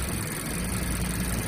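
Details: 2018 Mazda CX-5 cold idle: fast, light, repetitive "dadadada" knock over a steady hum, which disappears about 10 minutes after starting; cause unknown.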